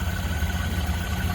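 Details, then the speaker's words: 1928 Ford Model A coupe with a 201 cu in L-head inline-4, water cooled, idling and heard at the front with the hood open. A soft, even low putter with a steady beat and no knocks or misses: normal idle. "Just sounds great. Again, 201 cubic inch L-head inline 4-cylinder, water cooled."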